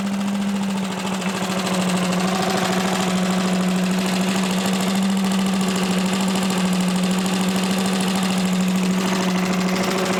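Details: Old Lindell Litter Gitter yard vacuum's small petrol engine, after new carb gasket: steady, even drone with a constant low hum and no knocks or surging; running cleanly.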